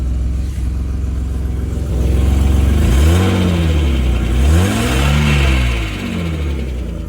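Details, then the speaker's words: 1989 Mercedes-Benz 190E with 353,000 miles, just started after the fuel pump relay was shorted and high-mileage oil stabilizer added: a steady low engine note rising and falling through throttle blips, no knocking or rattles. Normal running. "Don't sound too bad for how many miles? 353,000? Sheesh."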